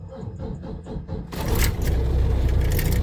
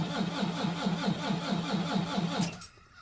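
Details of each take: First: Volvo VNL D13 diesel truck with an ongoing hard-start problem (owner suspects injectors, air in the line or fuel pump): about a second of cranking, then it fires on the first try into a deep, steady idle. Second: Volvo VNL D13 diesel truck, cold at about -10°C outside, oil -14°C, battery 11.6 V: steady starter cranking at about two compressions a second with no firing; hard, long-crank start, owner suspects injectors.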